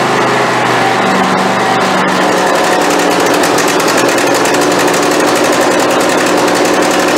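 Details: Craftsman YT4000 hydrostatic riding mower after fuel system work, valves not yet adjusted: small twin runs loud and fast with an unsteady, ragged note instead of a clean hum; rough running, owner expects carburetor problem.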